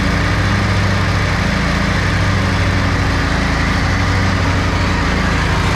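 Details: Snapper Yard Cruiser zero-turn mower with 42-inch cut, $100 estate-sale buy revived after a mouse nest, mowing long grass: deep, even engine thrum holding steady under load, no misses, knocks or labouring, no smoke, didn't get too hot; normal running under load.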